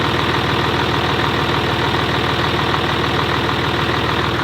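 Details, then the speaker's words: Mercedes G56 manual transmission with South Bend dual-disc clutch, engine idling, on Royal Purple before trying Hot Shot's Diamond G56 fluid: steady fast rattling chatter, about three beats a second, loud into the cab, clutch in or out; gear rollover noise. "all I know is clutch in or out there's still um even some rollover noise that that that's quite loud going through and into the cab"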